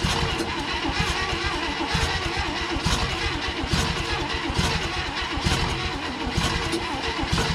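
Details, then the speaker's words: 1960 Chevrolet Impala abandoned 38 years, cranking without a start: starter grinds with uneven pulses about once a second from uneven compression between cylinders. The choke is stuck closed. "come on baby all right choke ain't open let's try this joke off"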